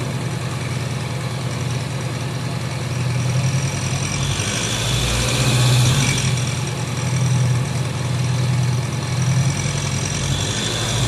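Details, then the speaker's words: Honda CB 500X at idle with a loose tapping about four times a second that seems to come from the top of the engine/cylinder head; normal engine mechanical noise escaping through a loose breather hose opening, simple fix. "então por que que ela faz esse barulho aí parece como estivesse batendo a parte de cima e fazendo barulho da parte de cima é justamente porque todo o som do funcionamento do motor ele tá saindo pelo buraco do respiro aí"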